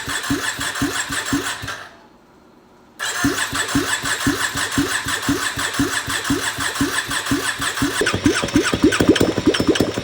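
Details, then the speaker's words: 2020 Can-Am Outlander 570 crank-no-start, after new piston rings and gaskets; ignition wires swapped because it sparked at wrong time; brief crank, catches after short pause, even steady firing: normal start and idle. "So we go ahead and swap those wires around, because why not? Starts right up."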